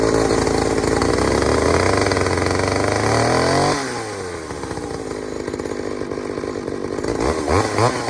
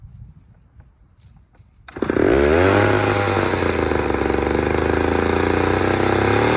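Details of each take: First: Pioneer 3270 chainsaw with a substitute carburetor, probably from a 60cc saw, safety chain, untuned: screams high then sags and surges, revs hunting while cutting; running lean, owner plans to fit a different carb. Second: Third chainsaw on leftover old fuel, not refueled, unlike the two lean-running freshly fueled saws: fires, climbs in pitch, then settles into a smooth even run; runs fine, though chain was dulled on a rock.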